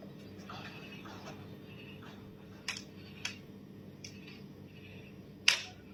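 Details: Metal sheet roof with PU foam insulation: quiet room with sharp irregular pops and cracks overhead, one loud snap near the end; roof sheet popping noise.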